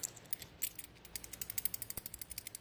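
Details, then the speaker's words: New PCV valve for a 2001 Ford F-150 4.6L 2WD, shaken by hand. Crisp metal-on-metal clinks, about eight a second, show the check ball moves freely. The old dirty valve only rattled like plastic, and the truck had rough idle and surging. "more of a change noise, like a clink, clink, clink, clink, like something clean metal on metal."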